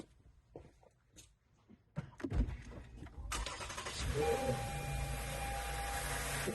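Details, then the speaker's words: 2017 Lexus RX350, 2GR-FKS V6, 130,000 miles, start just after serpentine belt replacement with Bando OE belt: quiet clicks, then catches and settles into a smooth, even idle with no squeak or belt squeal; normal start and idle. "It seems to run smoothly. Perfect. There's no squeaking noise. All sounds good and smooth."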